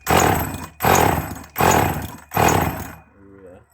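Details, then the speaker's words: Husqvarna 444 (labelled Practica 40) chainsaw, leaking petrol, coughing fuel out of the exhaust, owner also suspects a bearing issue: four heavy surging bursts that die before catching, then it quits; flooded engine. "That's really flooded, that is."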